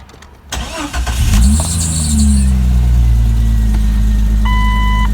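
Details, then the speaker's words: 1999 Jeep Cherokee XJ 4.0 inline-six, cold start right after new Champion Copper Plus plugs, distributor cap, rotor and wires at 60,000 miles: quick crank, clean catch, rev-up then smooth steady cold idle, no misfire; sounds like old plugs, normal. "Sounds just like the old plugs. Can't even tell a difference. That's a cold start, so once it gets to normal operating temperature, I will take another listen to these."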